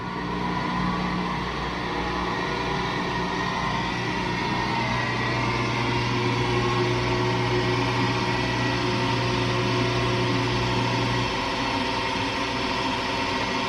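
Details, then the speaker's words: LG WM3488HS washer/dryer combo during drying cycle, noise from upper back corner: after a minute it winds up into a steady harsh hum with low drone instead of smooth quiet hum; hot-air circulator fan motor (part 4681ER1007A) bearings worn. "So give this thing a minute here, and then you'll hear it kind of like wind up, and that noise will start up."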